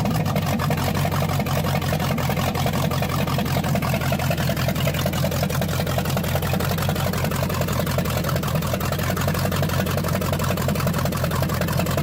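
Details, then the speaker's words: Newly installed 302 V8 in a Fox-body drift build starts and runs strong and even, but idles far too high at about 2500 rpm; cause unknown, vacuum hoses being checked. "so it runs sounds good but it's got a high idle it was idling at about what 2500 Daniel"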